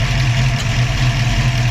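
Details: Ford 302 with Autolite 4100 carburetor and an A/C idle-up setup (1980–85 Bronco 5.0 vacuum-diaphragm idle-up unit plus 2010 Ranger IMRC control solenoid), vacuum reconnected. With the A/C on, a steady, even idle holds firm with no sag or hunting. Idle-up works normally.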